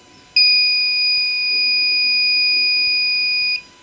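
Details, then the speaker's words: Microtek inverter that sometimes hangs, with the on/off switch not working: one unbroken high-pitched beep of about three seconds, the continuous overload warning, which stops when the heatsink is touched and then returns; the fault is traced to IC pin 21. "फिर यह of हो गया जैसे इसे touch करते हैं overload का indication बंद हो जाता है और फिर आ जाता है"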